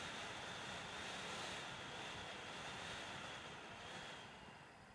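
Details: Dell WD19TB USB-C laptop dock, about two months old and initially silent, computer mostly idle: internal fan randomly surging from 0 to 100%, leaf-blower-like roar that swells then drops, with clicking electrical noises also reported.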